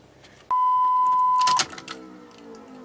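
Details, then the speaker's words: Third-gen Pontiac Firebird with budget 5.3 LS swap and a new fuel system (stainless sending unit, braided and stainless lines, quick-disconnect fittings from a 95 Firebird): steady high pump hum holds about a second, then cuts off cleanly as pressure builds; normal fuel pump priming, no leaks seen. "Oh yeah, you can hear the pressure building, so that's a good thing."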